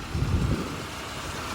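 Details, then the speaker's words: Small Hardbody pickup at a Copart auction yard, mostly stock, with wires and belts replaced and possibly sitting a while: a brief puff, then a quiet, smooth, even idle with no skips. Healthy engine. "the engine is quiet smooth yeah you know there's no skips or anything"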